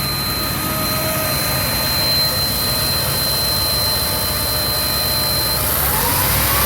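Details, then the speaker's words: 1991 Chevy K3500 4x4 dually, 454 (7.4L) V8, after a tune-up with a new distributor, warm after a drive, air cleaner off: a thin steady high whistle rides over the idle, then drops out; intake whistle of unknown source, absent with the air cleaner on. "a little bit of a whistling noise not quite sure what that is doesn't seem to do it when the air cleaner is on so i'm not terribly worried"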